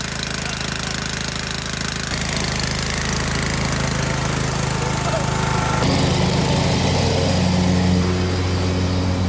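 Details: Scotts by John Deere riding mower (42-inch deck), 16 hp Kohler Command engine, after repairing damaged wiring for a no-spark fault and re-bolting the shifted engine: catches and settles into a steady even beat, stepping up in speed a couple of times; starts and runs normally.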